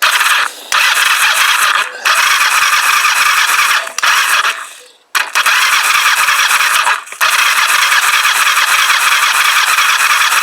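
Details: Kawasaki GPZ500S rebuilt engine, compression test on cylinder one with the throttle wide open: high, steady starter whine with brief pauses at an even cranking speed, strong healthy turnover; reading about 145.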